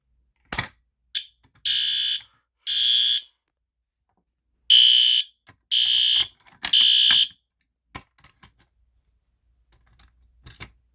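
Loud, high-pitched horn blasts of about half a second each, six in a row with quiet gaps; the alarm is sounding properly.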